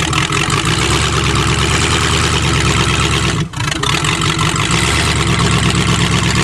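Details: Previously hydrolocked engine started on choke, with some plugs still wet: it holds a steady, even-firing idle with a deep low rumble and no knocks or misses. Running normally.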